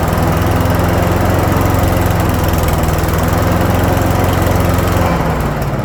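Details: Troy-Bilt leaf shredder vacuum (2014) with Briggs & Stratton single-cylinder engine, after repairing a no-start from stale-fuel starvation by flushing the carburetor fuel bowl and adding a fuel shut-off valve: steady even beat, deep exhaust note, no misses or surging; running normally.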